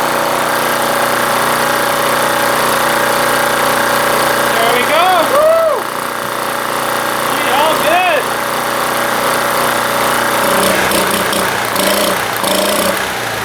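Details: Small generator started on the first pull after draining and restoring fuel flow, choke on: catches and settles into a steady, even run with only slight speed wander; running healthy.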